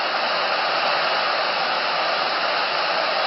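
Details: Motorola TP81BN AM/FM transistor radio during front-end alignment: a steady loud hiss across the band with no program audible. Owner suspects a failing converter transistor caused the shift; not confirmed. Radio background hiss.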